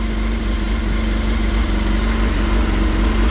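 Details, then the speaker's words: 1989 Honda CBR1000F four-cylinder, abandoned over 10 years, just started on funnel-fed fuel, no coolant in it; deep steady idle around three beats a second, no knocks or misfires, sounds perfect. "Oh my gosh. It sounds like it came out of the factory. Wow. Oh, that sounds [Music] perfect."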